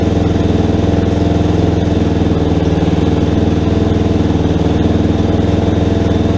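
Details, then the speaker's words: Rebuilt Yamaha Warrior ATV single-cylinder, cleaned carburetor, idle screw two turns in, first start, not yet broken in: steady thumping idle, even firing with no ticking or knocking; normal idle. "holy crap guys she's running it sounds pretty good oh i gotta mess with that idol a little bit more but man guys this sounds really good"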